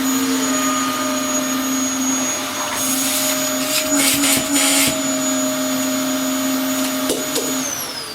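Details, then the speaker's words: Dyson DC07 Origin vacuum reported to overheat and die after about 10 minutes: steady high motor whine with carpet swishes, then pitch sags and it shuts off; motor hot, owner suspects failing motor needing replacement. "That has just turned off. The motor is failing on it."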